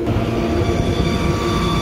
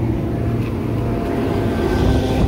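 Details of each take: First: Kitchen AC indoor blower after greasing dry bearings: steady even rumble, no grinding, bearings now quiet; remaining whirring is belt noise from a failing motor pulley making the belt ride funny, new pulley recommended. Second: Indoor blower motor of a kitchen AC unit on a no-cooling call, making a rough steady growl and hum; bearing sounds dry, to be pulled and lubricated or greased.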